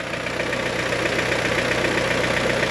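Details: G23BK engine, first cold start of the day: light, fast, even ticking or slapping over a steady idle; source not yet identified, checked before a dyno re-tune for boost creep.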